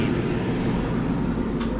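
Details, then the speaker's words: Two-pipe fan coil unit blower motor on high speed drawing 1.1 A, speeds matching amperage after repair of fan wiring giving incorrect speeds; even steady airflow rush with constant low hum, no rubbing or wobble, normal. "can hear the sound difference and now we got 1.1 amps so the speeds match up with the amperage"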